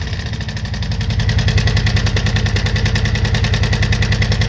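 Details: 1987 Kawasaki VN 750 Twin with 43,000 km, idling in a cold garage: a loud, even clatter about 200 beats a minute that grows slightly with revs but is less audible at speed; owner suspects the cam chain or hydraulic lifters, unconfirmed.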